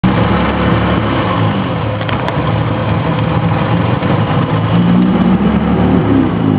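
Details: E30 idling with an uneven, lumpy beat that wavers rather than running smooth; rough idle, cause not apparent.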